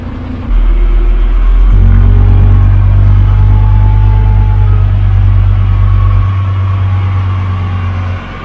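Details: 12-ton six-wheel diesel grader after a new drive chain, repairs and hydraulic oil brought to the right level: the diesel catches quickly, then settles into a deep, steady, even idle rumble with no knocks or misses. Normal, healthy start and idle.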